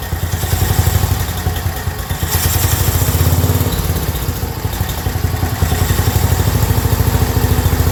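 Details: Black Widow go-kart with 10HP Briggs single-cylinder, newly mounted, fuel leak stopped: loud, steady, even bark at full throttle, no misses or knocks; runs healthy.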